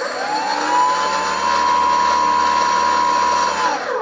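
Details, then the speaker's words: Brushless outrunner prop motor on a Skywalker RC model, run on its mount with a laser-and-mirror test jig. A steady, fairly low-pitched hum holds at one pitch, then spins down; vibration from rotor imbalance shaking the motor mount. "I've been having a few problems with vibrations from the prop motor on this Skywalker model the vibrations you can actually hear them you can hear a humming noise when you run the motor quite a low pitch drone"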